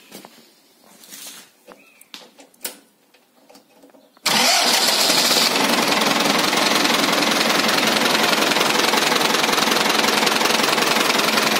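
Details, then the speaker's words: Ford 6610 diesel tractor cold-started on a frozen morning with a new starter replacing a Lucas unit that struggled to start it. A few clicks, then it catches almost instantly and settles into a steady, even clatter. Normal cold start. "Είχαμε μια Lucas που θα την δείξω στις φωτογραφίες, η οποία βασάνιζε πολύ το εργαλείο για να πάρει μπροστά. Σήμερα μια παγωμένη ημέρα, ακούστε πως"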